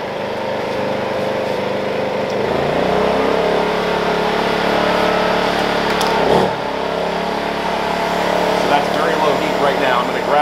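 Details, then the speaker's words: Wen 56203i inverter generator (made 7/2020, engine thought to be a 148F) loaded with a heat gun on a middle setting. The engine note climbs, sags and surges, hunting badly; at maximum heat it runs fine. Owner suspects the heat gun's pulsing element confuses the generator electronics. "i'll show you guys what i was referring to before when i told you with that with the heat gun anywhere in the middle the generator hunts badly"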